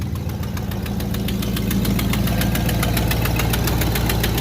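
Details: 1969 Buick GS 350 V8 idling cold with no choke, oil pressure low while warming: sharp, even exhaust manifold leak tick from cylinder eight, keeping time with firing over a lumpy idle.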